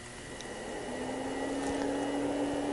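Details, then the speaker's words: Kaiweets 3010F 30V 10A lab power supply during constant-current load testing: temperature-controlled cooling fan kicks in with steady, even low hum, then briefly drops and stops. Normal cooling fan hum. "not sure if you can hear the fan just uh kicked off here now this fan is a i don't know it has a very annoying hum but it does seem that it's temperature controlled"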